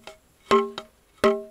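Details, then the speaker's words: Salvaged Welsh slate tap test: two sharp taps ring clearly, each with quick rattling buzz; good slate but loose flaky delaminating layers buzz, ringing improves as they come off. "you hear that kind of buzz that's this right here see there's another piece here and every piece that comes off like there's another issue right here this stuff's flaky"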